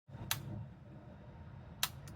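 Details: Johnson Controls JG13A020 chilled-water valve actuator, about 5 years old: sharp, irregular clicks over a low motor hum, as it slips on a stripped internal plastic gear. The whole unit was replaced.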